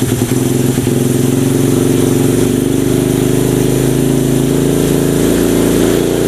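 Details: Mini trail bike with a manual-gear Honda 70-based single-cylinder engine that wouldn't start; a loud, fast, even buzzing idle with no stumbling.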